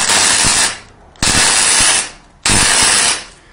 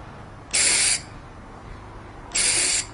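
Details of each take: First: MIG welder with CO2 bottle run out: wire feeds, harsh arc crackle in short bursts but no characteristic gas hiss, welds come out porous; CO2 bottle needs replacing. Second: MIG welder torch triggered after swapping in a freshly refilled CO2 cylinder: two short, even bursts of sharp hiss showing shielding gas flows properly; welders set CO2 flow by this sound, needing only enough to prevent porosity.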